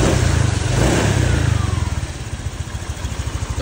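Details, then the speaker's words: Honda Vario 125 FI scooter after piston, gasket, oil and radiator coolant replacement (had seized, run rough and smoked white after oil neglect): brief rev then smooth, steady normal idle with no knocks, oil level confirmed. "suara mesinnya halus normal seperti semula lagi dari sebelah sana ya. Coba nih halus ya suaranya."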